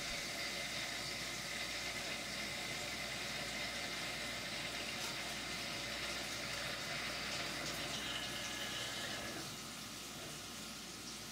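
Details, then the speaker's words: CNC reaming an AR15 gas block bore at slightly lower RPM and 7 in/min feed instead of 4 in/min: steady even cutting hiss under coolant, no chatter or squeal; smooth reaming cut leaving a nicer finish. "Most people said I needed to run at a faster feed rate than what I was running it at, which is around 4 inches a minute, but here I am at 7 inches a minute. And it still sounds good."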